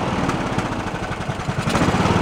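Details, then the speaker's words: Abandoned Poulan Pro riding mower, blown head gasket suspected, valves roughly adjusted, gas had flushed in: lumpy, uneven single-cylinder chugging struggling to hold speed, no bottom-end knock; carburetor idle circuit clogged, runs only on choke and tries to die. "uh carbs and mess it only run on the choke you can see where we had no idle circuit and it was just trying to die"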